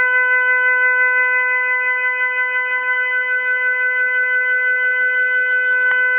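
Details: Hot water tap running: loud, steady, horn-like honk with stacked overtones that barely wavers. Cause unknown.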